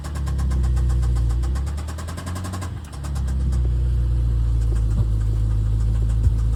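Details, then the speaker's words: BMW S63B44 4.4 twin-turbo V8 running with a deep, steady knock, about four a second: rod knock from a worn rod bearing. "we got a S63 V8 twin turbo with rod knock. Listen to this."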